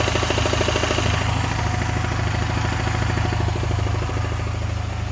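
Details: Honda Silver Wing 600 scooter idling, auction sheet noted variator or starter noise: heavy rhythmic knock about three beats a second under the twin's note; noise persists with variator removed, source not yet found.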